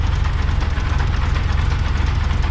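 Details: 1970s first-generation Honda Civic, odometer 75,000 km (accuracy doubtful), idling with exhaust fitted: heavy rapid pulsing rumble with rough knocking edge; suspected bearing, possibly clutch side, timing tensioner or alternator, not yet found.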